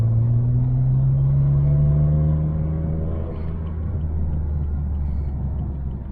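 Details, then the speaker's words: BMW 335i N54 twin-turbo after cutting out a bad vacuum hose and testing wastegate: smooth even pull under acceleration, no flutter or hiss, about 15 psi boost consistent throughout; normal acceleration. "yo it went up to like 15 foot PBS of boost sounds healthy and he wants to move man super satisfied"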